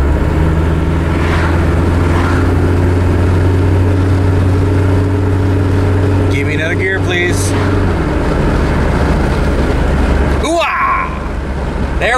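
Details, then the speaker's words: Old Volvo wagon with AW70/AW71 automatic after overdrive fault repair, on road test: engine note climbs under load then drops cleanly as the gearbox upshifts into a lower cruising hum; overdrive fixed. "we go buddy we fixed her so uh it's not a terribly difficult repair it's"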